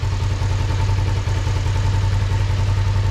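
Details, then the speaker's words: 2005 Kawasaki Ninja 500R revived after 10+ years in storage, with new carbs tuned and synchronized and fresh oil just changed: low, steady, smooth twin-cylinder idle with no knocks or rattles; sounds much better with the new oil, a normal idle. "Make sure our brake lights are still working good. Oh my gosh, it sounds so much better with that new oil in"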